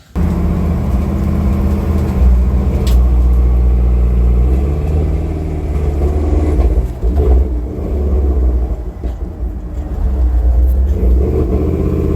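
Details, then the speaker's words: 1966 Ford Bronco with a carburetor, on the road: a low V8 rumble that pops, skips and bucks under load, like it's running out of fuel or spark. "as you can tell with that it was kind of popping and skipping"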